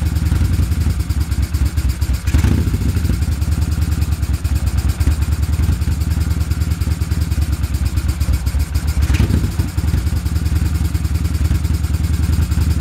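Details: Twin idling unevenly with a lumpy beat, dropped pulses and occasional stumbles; poor idle with misfire on the left cylinder.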